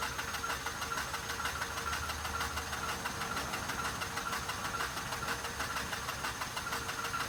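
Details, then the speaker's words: 2006 Mazda RX-8 that shut off while parking, on a professional jump starter: steady cranking, even pulses about twice a second, never catches, still won't start with starting fluid; owner plans to add premix. "I'm gonna add some starting fluid. Unfortunately, it does not want to start."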